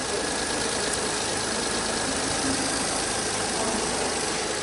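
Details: VW Up just started during the adaptation/reset procedure after a service: a smooth, constant idle with no misfire, stumble or hunting.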